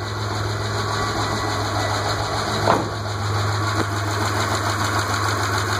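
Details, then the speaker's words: Petrol engine idling just after restart with Seafoam motor treatment added, oil pressure rising: light, fast hydraulic lifter tick persists; lifters to be replaced next week. "obviously you still hear that lifter tick"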